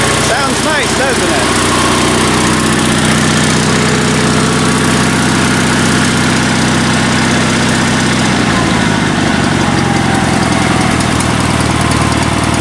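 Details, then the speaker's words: Sears Suburban SS16 garden tractor twin-cylinder engine, previously firing on one cylinder, after rebuilt exhaust ports: loud steady idle on both cylinders, even Harley-like beat, no misfires. "so I guess let's let's fire this thing up and I'll show you guys how it runs it sounds great it almost sounds like a Harley surprise surprise"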